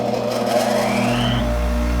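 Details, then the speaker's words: Restored 1965 Craftsman bench grinder, original sealed bearings repurposed with oil, new wheel fitted: even motor hum with no wobble or thumping, then a clean smooth wind-down; runs smooth as butter, the oiling process appears to work. "i think that process i did with the oil works here it is with the new wheel smooth as butter"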